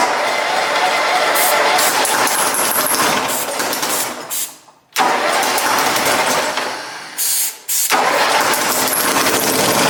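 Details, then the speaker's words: Cub Cadet Super 2082 riding mower engine, sat at least two years, air cleaner off, needing choke each start; cranks, catches and runs steady twice with short pauses; starts readily, settles into an even run. "so once choke every time you start it but it starts and runs"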